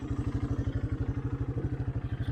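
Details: 1984 Honda Big Red 200 three-wheeler, 39 years old and restored after sitting about 30 years, with a new carburetor, cables and an oil change. Even, steady thumping at about eleven beats a second, no knocks or misses; the motor sounds good.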